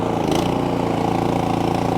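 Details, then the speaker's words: Cub Cadet 3X 30-inch snowblower after cleaning three clogged carburetor jets, choke off, auger under load and then throttled down: a steady, even putter with no surging or stumbling; it runs normally now. "no change sounds great look at her roll all right let's throttle her down not bad even lower sounds good no surging at all"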